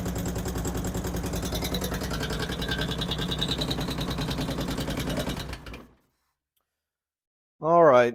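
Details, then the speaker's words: 2008 Harley-Davidson Street Glide after Screamin' Eagle 255 cam install, first startup: fast light ticking over V-twin idle before shutdown. "As you can probably hear, we've got a tick in the motor up here for some reason. I don't know what, trying to think of what could have went wrong or what's could be causing that."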